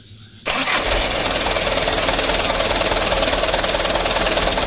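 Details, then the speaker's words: 2008 Mitsubishi Canter 125 diesel, previously long cranking and shaking idle, restarted after adjustment/repair: starter catches at once, settles into even steady beat about four pulses a second, no misses; runs clean. "Alhamdulillah untuk perbaikannya sudah selesai hasilnya sudah sama-sama kita lihat Lur"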